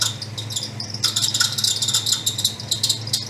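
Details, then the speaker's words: 1962 Ford Thunderbird, 390 V8 with three-speed automatic, new alternator fitted: sharp uneven high chirps and squeals over a quiet-running engine; alternator belt squeak from a worn pulley, cured by replacing the pulley. "Ah, I'll have to fix that squeak. I can't handle it."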